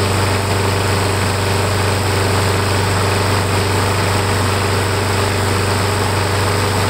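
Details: Briggs & Stratton Quantum engine, cold at about 45 degrees, primed five times after new gasket and washers fixed warped primer base: small single running at steady even speed, no misses or surging; normal running.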